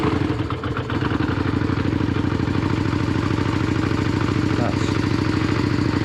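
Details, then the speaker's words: Yamaha Virago 535 V-twin with modded exhaust pipes, cold start on choke after pumping the throttle: loud, lumpy idle thumping about three pulses a second, firing evenly with no knocks or ticks; healthy cold-start idle. "Ooh, baby. Got a nice sound to it. Who modded these exhaust pipes? Who made this bike sound so good?"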